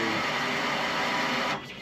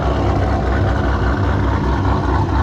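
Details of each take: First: Procharged GTO with a dual in-tank fuel pump setup, second pump triggered via bypass during a fuel pressure fault (pressure reaching 63 then dropping to zero, tank leak suspected): steady high electric whine cutting off sharply after 1.5 seconds. Fuel pump whine. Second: Procharged GTO after fixing fuel pressure issue in custom in-tank dual-pump setup, second pump kicking on, pressure holding around 42 psi; warmed up, no leaks, steady even low rumble, no misses or knocks; normal running engine.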